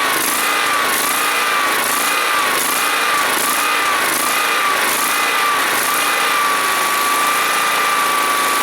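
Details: John Deere SST-15 Spin Steer riding mower, jump-started off a truck battery, running after carburetor adjustment and cleaning: small single-cylinder engine holds a steady, even note with no misses or surging; runs smoothly.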